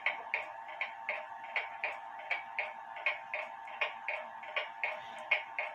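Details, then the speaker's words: Antique Japy Freres French bakers clock (c.1880–1900) on a desk after cleaning and pivot oiling: crisp ticks with alternating short and long gaps; somewhat out of beat. "it's somewhat in beat but I find that with these clocks the French clocks you know you can mess with this thing and get it in perfect ticking order"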